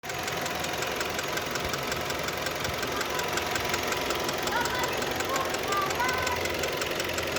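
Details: Kia Ceed at warm idle: a light, fast, fairly even ticking knock, about two per second. It knocks only when warm, not cold; valves were adjusted and are within tolerance, so not valves. Source unknown.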